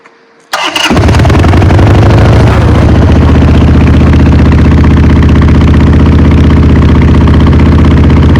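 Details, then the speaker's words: Motorcycle, not run for a few years, started cold on choke with a working accelerator pump: loud, steady, lumpy twin-cylinder idle that runs a bit rough but healthy. "Perfect, you can tell it's running a little bit rough, but I'm sure it'll clear out with some more fresh fuel, a couple of rides. It should be good."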